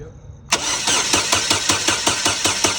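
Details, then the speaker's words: 2016 Holden Barina crank no start: starter spins engine at a steady even chug about five beats a second, never catches; no injection pulse or coil control, PCM coil driver destroyed by shorted coil. "So, right now when I when I crank this over, I should see that flickering, but it's not flickering because the PCM isn't controlling it anymore."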